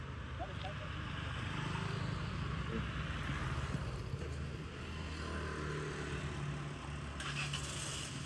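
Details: Vehicle started: engine catches and settles into a quiet, even hum with steady low tone, no stumbling or grinding; healthy running.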